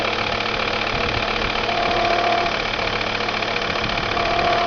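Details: Volvo V70 TDI diesel idling with an uneven knock about three times a second over a steady clatter; knocking at idle whose cause can't be pinned down by ear.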